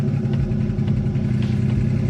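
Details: Engine running rough with light rapid ticking from the top end, not rod knock; seized hydraulic lifters (HLAs) holding valves open leave all three cylinders on the right bank not firing.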